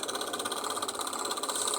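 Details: Appliance full of ice: a fast, even tapping rattle of around eight beats a second rides over the running unit; the knocking is strange and its source is unclear, and the owner is unsure whether to switch it off.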